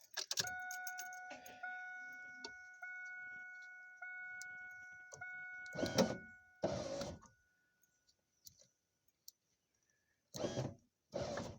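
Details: 2001 Pontiac Firebird power window motor tested with wires rerouted: steady, even motor hum through several runs of a second or two, each ending cleanly; window motor runs normally.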